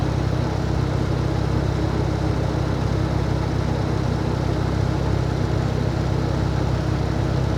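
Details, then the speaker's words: 2012 Camaro rebuild project idling after radiator repair: a steady, even low idle with a smooth continuous rumble, no knocks or misses; engine running healthy. "This thing runs so good now, I don't have to worry about it."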